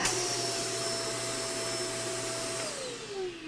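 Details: Shark vacuum tested with hose reattached and wand removed: strong, even motor whine with steady rushing airflow, no hiss or flutter, smooth wind-down after switch-off; suction healthy.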